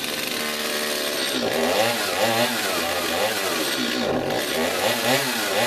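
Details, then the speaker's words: Stihl MS250 chainsaw test run after carburetor rebuild: two-stroke snarls up and drops back in repeated throttle blips, each rev climbing cleanly without stumbling; running normally again. "i'm gonna go get me a little gas and put in there and give her a test run hopefully we're back in business"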